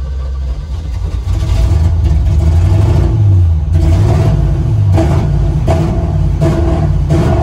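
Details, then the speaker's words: 1974 Corvette V8 on test drive after burning off oil: under throttle stumbles with uneven popping bursts about three a second; wicked misfire, oil fine, owner wonders if Autolite spark plugs are the cause. "I did just check the oil. It is still perfect, but as you guys saw, it has a wicked misfire."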